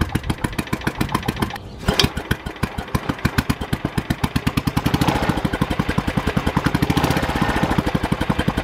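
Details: Early Kohler K181 8 hp single-cylinder engine for a Panzer T75 tractor, first bench run: sharp punchy pops about five a second, firing a little hard because early K181s have no decompression lobe on the cam.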